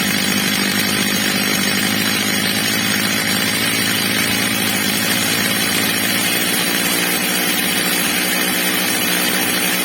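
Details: Old, well-worn Stihl MS230 chainsaw after fitting a new replacement carburettor, during its adjustment: steady high-pitched two-stroke scream at even revs without surging or bogging, normal high-rev running.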